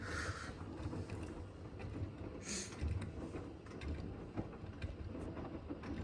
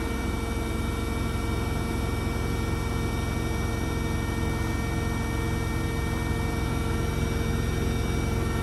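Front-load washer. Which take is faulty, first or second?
first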